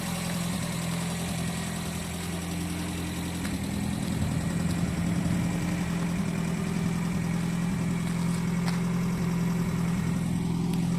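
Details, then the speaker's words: JDM car after engine bottom-end rebuild for knock; previously stumbled on low beam and stalled on high beam. Now all four headlights on, smooth even idle, steady low hum, no misses or knocks under electrical load; normal idle. "то все также в порядке работает все четыре фары машина не глохнет все прекрасно себя чувствует"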